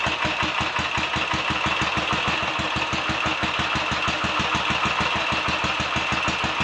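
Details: Royal Enfield 500 single, third start after rebuild with about 10–15 minutes of running, ignition timing set by strobe to a sweet spot and pushrods checked: a crisp, even beat about three firings a second; normal, lively running.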